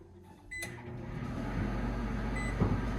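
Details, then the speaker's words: KitchenAid/Whirlpool over-the-range microwave test run after repairing error code F2E1 by replacing a door switch and reinstalling it in the cabinet: start-up beep and click, then a low steady hum; working normally, no error code. "and we're working no more error code"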